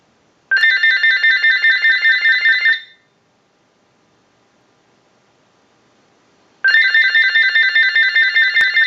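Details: General Electric 27909 cordless telephone during final checkout after repair, with the ring cycle started by an analyzer. Clean warbling electronic ring in two even bursts of about two seconds with silence between: normal ring cycle.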